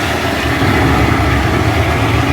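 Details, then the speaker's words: Newly installed automatic float valve (replacing floating-ball type) filling an overhead raw-water storage tank fast: steady, loud rushing hiss like heavy rain, much noisier than the old ball valve, especially at night; owner considers adding a second float valve. "yung noise level nitong pag fill ng tubig dito sa storage tank talagang malakas. Sa gabi para siyang umuulan, unlike sa dating float valve na ball, may floating ball, hindi siya ganun kaingay."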